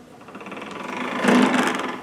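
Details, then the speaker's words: Toro Recycler model 20332 Personal Pace mower with a non-working self-propel, engine off and pushed forward: a rough, gritty scraping ratchet that seems to come from the left wheel, suggesting binding in the transmission/drive. Grinding noise when pushed. "I want to see, just pushing it forward without turning it on, there's some strange noises, and I want to see if you can hear them."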